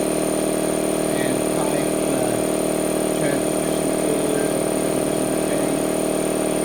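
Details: Harbor Freight 2 hp 29-gallon air compressor with an added air filter and a foam-mounted cooler/air dryer. Steady motor drone with a smooth pump chug and no knocking or squeal: quiet, normal compressor running.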